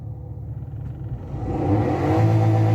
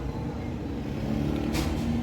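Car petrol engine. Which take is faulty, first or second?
second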